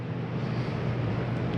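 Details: 2022 Catalina Legacy 303QBCK RV, AC switched on at wall thermostat: steady low hum with even whoosh of airflow, no rattles or cycling; roof air unit running normally.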